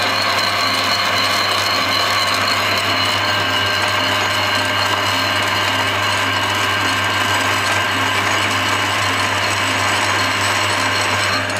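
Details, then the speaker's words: Steady motor hum with gear whine and a light, even cutting hiss, nothing knocking, as a lathe makes one thread-cutting pass on an old bath/shower diverter block part. The plate is lightly gripped, so passes are kept light; cutting cleanly. "So I've got it all set up, so I'm just going to run one through so you can see it working. Right, so that's powering away now. You can hear it cutting."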